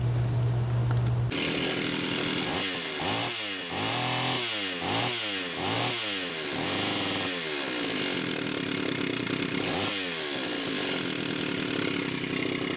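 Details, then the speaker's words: Homelite Super XL-925 chainsaw, first test run after a new piston and cylinder and a new seal (bearing found fine): revs up and down cleanly, then holds a steady high scream. Excellent compression; the smoke was assembly oil; it needs break-in idling. "okay Ken this is good excellent compression the initial smoke was the assembly oil burning off obviously this thing needs to idle a lot more"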